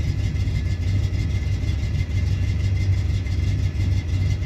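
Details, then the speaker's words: Camaro with newly installed Aces EFI, idle target set to 850 rpm: low idle with uneven pulses about three per second, rpm sagging as if about to stall; smells rich, owner suspects too much fuel pressure; rough low idle. "I don't know if I like the way that sounds. Sounds a little rough. It's dropping a little too low."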